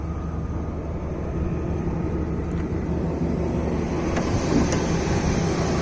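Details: BMW 540i M62 V8 at startup and shutdown: loose, uneven rattle inside the deep idle rumble from the timing chain.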